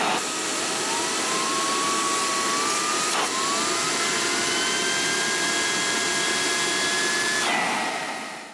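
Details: Hoover SteamVac Deluxe brush turbine motor after oiling its dry, dragging shaft bushing and reassembling: high rising whine that settles steady, briefly cycles and restarts, reaching full speed without drag; normal running.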